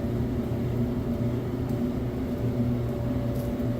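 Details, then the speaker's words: Samsung DV331AEW/XAA electric dryer, just deep-cleaned and reassembled, run on high in timed mode: a steady, even motor hum with a low drum drone, no grinding or rumbling, and the heating element burning off residue. Normal running. "no weird grinding noises no rumbling and I can kind of smell it uh that it's burn burning off whatever is on that heating element"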